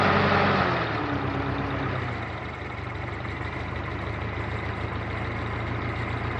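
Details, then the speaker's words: Continental F124 flathead on propane from a fire-damaged 1952 Carloader forklift, first run: catches quickly, settles into a steady even low idle, no knocks or misses, little smoke; normal idle. "well that certainly worked out well that sounds pretty darn good doesn't seem to blow a whole lot of smoke uh it certainly fired right up i'm really happy with that"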